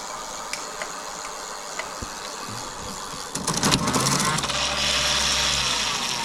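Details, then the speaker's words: BBSHD mid-drive e-bike motor after removing excess moly grease from the nylon gear roller clutch that had been slipping: after light clicks it spins up to a steady even hum and whir, no grinding; normal motor run. "so all right guys it's kind of a rainy day I'm just testing this out testing this out seems to be working so far"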